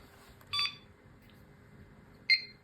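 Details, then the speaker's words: Supermicro X11SCL-IF motherboard powered on again with a CPU cooler fitted (earlier overheated and beeped without one): two short high beeps about two seconds apart; board posting normally. "Okay, it's working. Now we need to wait for a beep."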